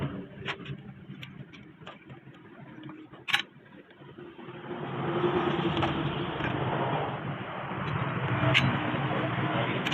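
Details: Honda 70cc motorcycle: a light, fast ticking of about three per second over the small single-cylinder idle. Timing chain noise, suspected from a slack chain and worn tensioner.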